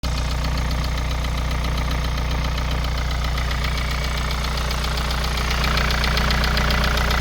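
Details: KIA Sorento Prime 2.0 cold idle carries a steady, regular knock about two and a half times a second over the engine hum; origin not pinned down.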